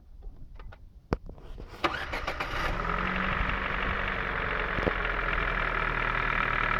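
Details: Ford 1.6 engine, warm after a 10-minute stop: a few loose clicks, then fires and idles with faint uneven tapping about three or four per second; engine knock, cause unconfirmed.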